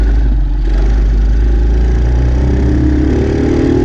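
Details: 48cc Chinese quad from a dumpster, with fuel lines replaced and a shutoff added, started by jumping the starter solenoid with a jumper box: a small single-cylinder engine runs steadily with an even rapid putter and a slight rise in speed near the end, running fine.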